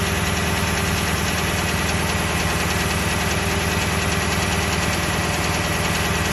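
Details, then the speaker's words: Toyota 1UR-FE V8 at idle: steady hum with a faint regular internal knock about twice a second, growing more distinct as the oil gets thinner. "Стук еще сильнее. Ну еще отчетливее. То есть чем жиже масло, тем отчетливее стук."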